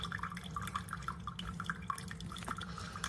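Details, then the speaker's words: Chefman single-serve K-Cup coffee maker brewing: soft irregular drips and trickles over a low quiet hum; runs normally, quieter than a Mr. Coffee. "It's quiet. It's actually quieter than this one. It's quieter than the Mr. Coffee, so that's good."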